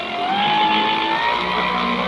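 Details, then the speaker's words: Electric vehicle motor at full throttle after a controller repair: a smooth whine climbs steadily in pitch as the motor spins up, with no stutter or grinding. The motor is running normally. "Full load, একদম full load."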